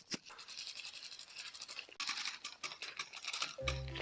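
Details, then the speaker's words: B'Twin Riverside trekking bike after drivetrain cleaning, chain refitted but not yet lubed: light, fast metallic rattling clicks as cranks spin — dry chain rattle, needs lube. "Yeah, you can hear the rattle on the dry chain, and then when you continue using it without lubing it, it will get rusty and it will stop rattle and its lifespan will be really, really short."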